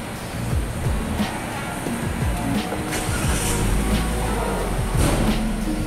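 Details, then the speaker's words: Toyota Agya GR Sport petrol, after injectors, spark plugs and coils refitted: revs climb and drop cleanly through several blips, the earlier hesitation, jerking and misfire gone; normal acceleration. "Oke untuk tarikan brebet untuk keluan yang brebet tarikan yang telat tadi ini sudah tidak ada ya digas secara spontan dia juga aman tidak ada e seperti tarikan gembot atau apa ya ini normal dan tidak ada merebetnya"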